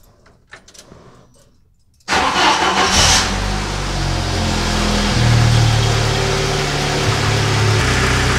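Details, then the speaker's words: Jeep Wrangler after repair: a leaking vacuum hose at the manifold fitting near the valve cover was sealed with heat shrink. It cranks, catches and settles to a smooth, steady idle without hissing or hunting. Normal idle. "pretty good sounds a heck of a lot better"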